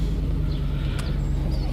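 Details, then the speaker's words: 2010 Ford F-150 4.6 with many VVT/cam codes, after a motor flush: a low, steady idle. The timing chain guide rattle heard at startup has gone as oil pressure reached the tensioners, leaving it smooth with no slap or ticking. "so i mean she's smooth as glass i mean idling perfect"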